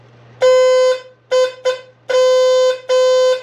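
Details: 1982 Fiat 124 Spider horn, previously not working, tested with key on after power wire attached and ground wire run to grounding pod; five clear toots, steady mid-pitched blare, no crackle or dropout; horn now works properly.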